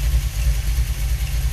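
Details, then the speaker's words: V8 with rebuilt Holley 4150 double-pumper carburetor, idle raised from about 600 rpm to roughly 700, not in gear: deep, even burble at slightly raised idle, no misses or stumbles; idling smoothly. "And it's sounding a lot better. I was thinking I'd have to idle it up some."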